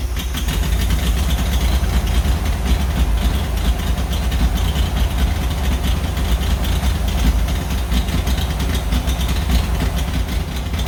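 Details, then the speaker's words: 1940s Oliver 70 tractor first start in about 12 years, choke run by hand; rough lumpy idle with obvious misfire, one cylinder dropping out; very old plug wires suspected, points and condenser may need ignition tune-up. "well it's really hard to tune the carburetor when you have such an obvious misfire um I don't know I mean as you can see these buug wires are extremely old they should be replaced"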